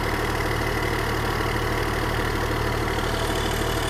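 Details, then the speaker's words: Long-neglected diesel excavator, first start with glow plugs, throttle and hydraulics not working: steady, even idle with firm low thrum, no knocks or misses; engine runs smoothly, normal idle. "hey close your throttle throttle don't work but man the engine sounds good"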